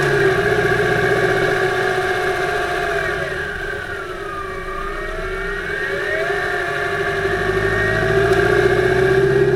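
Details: 2008 Subaru Impreza 2.5i flat-four on a short drive, camera above the driver-side timing belt cover: faint tapping about three per second under light throttle, loudest near 2500 rpm at light-moderate load in any gear. It fades with more load, is absent without load and below 2000 rpm, and is somewhat rod-knock-like; cause unknown.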